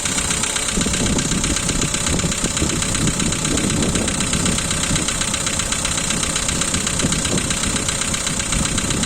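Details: Volkswagen Polo 2012, 1.6 CFNA engine, cold start idle: fast, slightly uneven light ticking over the engine, one lifter loud and a couple faint; hydraulic lifter tick that stops once warm.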